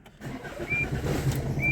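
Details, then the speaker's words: 2006 Tata Indigo, started on the original key before a keyless start-stop install: a short churning crank, then it catches and settles into a rough low idle; the car is known to be slow to start, cause not evident. "bir kademe 2 kademe dedik kuşatıyor çalıştıramadık bu araç biraz geç çalışıyor"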